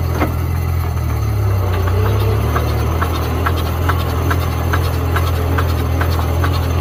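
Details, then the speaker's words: Porsche 924, abandoned engine freed after being seized with rusted cylinders; cranking in first gear shows an even starter spin with a light regular tick about twice a second and a definite knock, and the owner suspects something bent on cylinder one. "are well that ain't great but I definitely heard a knock I wonder if there eat something bent on number one"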